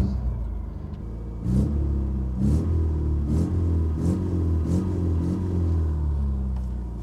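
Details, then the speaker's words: 1987 Toyota pickup with 22R engine, first start after years sitting outdoors, about five minutes running on old tank gas: low, steady, even idle with no knocks or ticks. Normal idle. "sounds healthy well it's been sitting here running for about five minutes so I think it's running on the original gas now even though the tank says empty there must be something in there"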